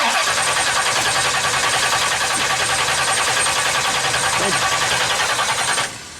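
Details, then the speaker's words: 1970 Pontiac LeMans, 455 Pontiac V8, after fuel pump failure that leaked from the weep holes: steady rapid starter churn about three beats a second for six seconds, cranks but won't fire; flooding suspected, not confirmed. "okay well good news is we're not hemorrhaging fuel anywhere so that's good now the question is why won't it start did you just flood it and that's the only problem we got right now"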